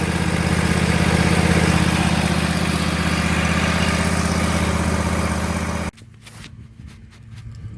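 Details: Bradley riding mower after fitting a new belt with about an inch of play; smooth, even low hum with blades engaged, no slapping, squeal or chirp before shutdown: normal running.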